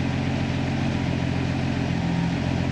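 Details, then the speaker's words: Jeep Willys with Fueltech injection, idle actuator set to 10%: steady engine hum holding slightly fast, idle stays a little high and does not drop while waiting for it to stabilize; high idle. "voyons maintenant avec l'actuateur de ralenti à 10%, voyons s'il descend un peu, le ralenti semble être un peu plus haut, mais attendons un peu le temps qu'il se stabilise,"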